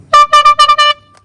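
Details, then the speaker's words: 1922 Neracar motorcycle, 200cc: four short, bright honks at a steady high pitch with a clean, even tone; the little horn works properly. "There's a nice little horn."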